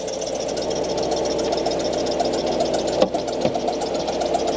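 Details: 2013 Ford F-150 at idle: steady mid-pitched squeal and rough chatter, getting worse; owner first suspected idler pulley, found water pump pulley loose, suspects worn water pump bearing.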